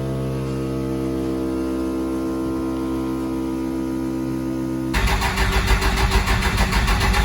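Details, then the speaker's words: 1979 Ford F250 with compound twin-turbo Cummins 6BT swap, key-on before start: loud steady electric hum and whine from the lift pump of the fuel system, owner unsure if normal, then the diesel fires and drowns it out. "I'm gonna turn the key on so you guys can hopefully hear how loud that fast system is and if you're familiar with that fast system let me know if that's normal sure seems very loud to me"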